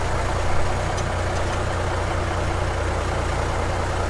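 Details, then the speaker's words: 1970 Kaiser M-813 5-ton military truck diesel, first start in over 10 years after new batteries, cranked with no throttle: deep, steady, even rumble with no knocks or misses; healthy normal idle. "That son of a bee started right up, right now. Look at this baby."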